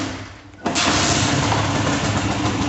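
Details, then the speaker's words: Honda Titan motorcycle running: a harsh, busy clatter that sounds internal to the engine but comes from a loose piece on the flywheel vibrating under the side cover. "para se vocês vão ver uma moto com barulho desse aí tipo uma peça solta no motor tem grande chance de ser o volante que no caso essa pecinha aqui solta tem bagulho é só ele vibrando"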